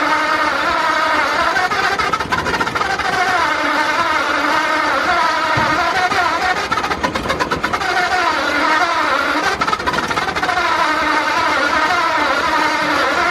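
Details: 1953 Ford project truck, first start of newly installed engine after verifying number one at top dead center: loud, busy exhaust note with engine speed wandering up and down; runs and keeps running, a bit rough.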